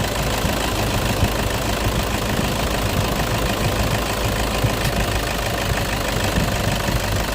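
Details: Toyota idling with the AC compressor engaged: even hum with no clutch chatter, rattle or grinding; compressor clutch working normally.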